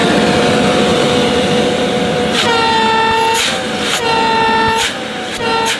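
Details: Shark CV100UKT bagless cylinder vacuum: loud horn-like honks come and go over steady motor whoosh, mainly when airflow is restricted; less noticeable on first unboxed unit.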